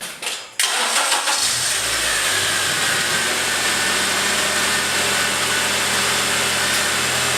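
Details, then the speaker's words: Acura TSX after drive belt replacement for belt squeal; engine catches after a brief crank and settles to a smooth, steady idle with no squeal or chirp, sounding much better. "well that sounds a lot of speaking that sounds a lot better"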